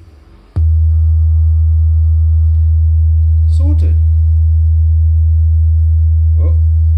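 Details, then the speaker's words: JBL Charge 2 Plus portable speaker after reassembly, driver had been tapping against back of diaphragm at large excursions: clean, steady low test tone without buzz or rattle, apart from handling bumps; normal speaker output. "apart from that it's much better for more moons many more moons of service"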